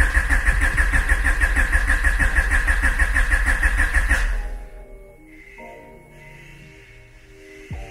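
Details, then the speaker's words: Honda Civic cranked with injectors disconnected after long storage and battery reconnection, coolant reading 66, to build oil pressure: steady even starter churn, about three compression beats a second for four seconds, no catches or knocks; normal no-fuel crank. "And I'm just gonna crank this, really just to build oil pressure. It's been so long, it's just safer that I just do this."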